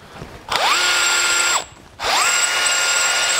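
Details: Cheap screwdriver chamfer-bit attachment, a second bit from the same seller, spinning on a metal stud, giving two one-second bursts of high steady squeal; the bit does not cut.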